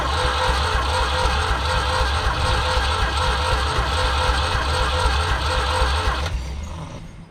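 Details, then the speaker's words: 1974 Ford 3550 industrial tractor, recently freed up after seizure, spark plugs just refitted: steady starter churn about four compression pulses a second while cranking on sprayed starting fluid before it catches. "We're gonna try and light it. I'm gonna just spray some fluid in there, and let's just see if it lights off. It's gonna smoke."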